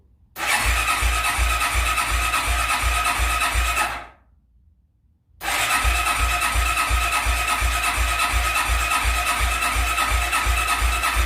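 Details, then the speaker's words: Suzuki QuadRunner ATV barn find, not run in 10+ years, first cold start on full choke: single-cylinder thumping about 167 beats a minute, uneven and lumpy with a brief dropout; rough, sputtering but running. "well it's kind of running which is good it's awesome guys i can't believe that it didn't take that long to start take that choke off a little"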